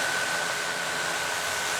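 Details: DJI Mavic Air 2 idling on the table with the original DJI stock props fitted, sitting solid and not moving. An even, airy whirr with a steady high hum and no wobble or rattle against the table. Motors and props are running smoothly.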